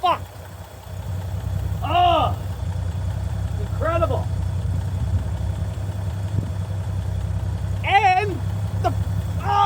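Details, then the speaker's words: 1965 Chevy C50 grain truck abandoned for years, just started on a temporary fuel feed bypassing a suspected faulty fuel line, with a slight fuel leak suspected; steady, even low rumble with no misses or knocks and voices over it. A normal idle. "Oh, you can just hear it run."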